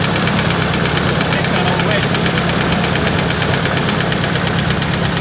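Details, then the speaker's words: Truck engine at idle: fairly regular tap about three per second over the engine drone, no blue smoke; owner suspects a valve, cause unconfirmed. "i'm just a bit curious about that banging noise well it's more like a tapping noise"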